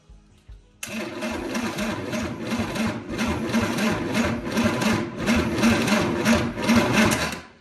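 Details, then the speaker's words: 1963 Chevy 230 inline-six, sat about 35 years, first start attempt: rapid regular cranking about three beats a second with uneven puffs but no catch; cranks but won't start, timing suspected out, plan to recheck at TDC. "Yep, that's it. I think in the timing's out, that's our problem."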